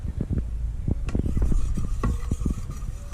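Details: Honda CRF 230F with the front wheel turned by hand after a trail ride: irregular dull clicks and cracks about three a second. The owner suspects the front wheel bearings and disassembles to check.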